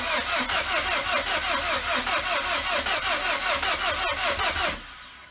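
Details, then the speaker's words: VW GTI with a forged internal engine build, first start attempt after priming the oil pump with the fuel pump fuse pulled; the battery had sat a long time. Sluggish cranking at about 2.5 turns per second that drags and dies; the battery is dead. "and my battery's dead so no"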